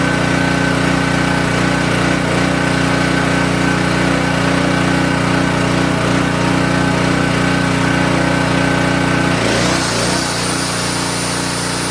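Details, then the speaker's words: King Canada 3000 W (2,300 W running) generator after repair and new air filter setup, run before load test: steady, constant-pitch drone with no misses or surging for ten seconds, then it winds down; healthy running. "All right, now I think that ran pretty smooth."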